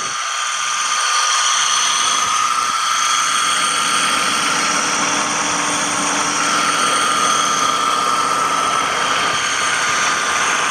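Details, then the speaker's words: 2007 Toyota Avalon idling loudly: steady airy sucking hiss with faint whistling and a slight uneven wobble underneath; one of three distinct noises, recorded near the water pump. "there's the air sucking sound but then it sounds like a little wobble sound"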